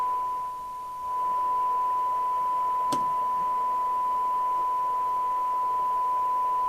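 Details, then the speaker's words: 1981 Japanese-made Amstrad CB901 UK FM CB radio on service, RF gain full, squelch down, dirty controls: receiver hiss with steady high test tone and a sharp click; audio sounds rough, detector suspected before checking on SINAD meter. "So it's receiving. Doesn't sound very good, to be honest. It sounds like the detector's"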